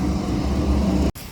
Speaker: fan came on no problem it's loud but it's old and it's getting replaced soon it's working that's really the main concern